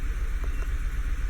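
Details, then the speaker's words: 2011 VW Tiguan 2.0 at idle with an uneven, stumbling pulse from a cylinder misfire (P0300); the fault moved from cylinders 2 and 4 to 1 and 3 when the coils were swapped, so the coils and spark plugs were replaced. "there we go cylinder one and three now this firing so those are the permanent ones"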